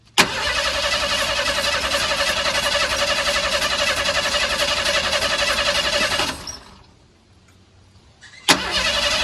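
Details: Old Ford truck with carburetor running too rich and fouling plugs, during carburetor rebuild with a fuel leak found: starter turns engine over at even chug about six seconds, stops, tries again, never fires; crank, no start.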